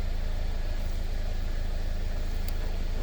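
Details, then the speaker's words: 2015 Mercedes-Benz CLA, previously crank-no-start with low fuel pressure codes P0087 and P1CCF, now repaired after fuel pump replacement: smooth, steady idle with no misses, ticks or knocks, normal running. "anyways the the the car is fixed as you can hear car is running"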